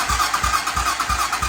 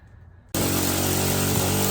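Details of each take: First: 2007 Hawk 250 Chinese dirt bike cranked by bridging the starter solenoid because the ignition button has failed; steady starter churn, about three compression beats a second, no firing; cranks but won't start. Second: 2007 Hawk 250 Chinese carbureted single-cylinder dirt bike, previously cranking without starting: catches abruptly into a steady, even fast idle with crisp firing; normal running.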